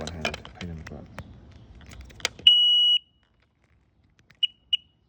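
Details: 2008 Sea-Doo GTI 155 SE after repairing the faulty DESS post wiring: key clatter, then one long high beep and two quick chirps; safety key read and accepted normally, ski starts.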